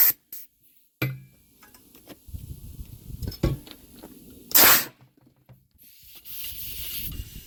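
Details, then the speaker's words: Semi truck steer wheel with Centromatic balancer (sand-filled ring on the brake drum), during tire change: soft gritty hiss swelling and fading as the wheel turns. It's balancing sand moving, not the air compressor, and is normal. "No, the compressor's not running. That's the sand running around in that. So they're called Centromatics."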